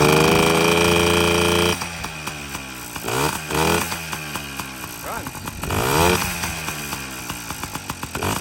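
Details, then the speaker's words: Yamaha PW50 two-stroke with a brand-new top end, running premix with the oil line unhooked and the reeds inspected. Previously it wouldn't start; now it catches and settles into a crisp, steady idle with throttle blips, running clean. "This is a brand new top end. I should probably let it break in first. Idles. Sounds pretty good."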